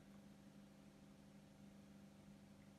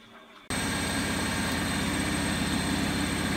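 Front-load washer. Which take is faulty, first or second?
first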